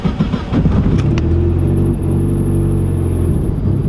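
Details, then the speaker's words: Mazda Miata on E85, cold start at about 67°F at night after a driveshaft/trans kit upgrade; high steady squeal comes in right after the engine catches and holds over idle, accessory belt slipping on cold start. "Listen to that belt squeal. That means she's healthy, boys."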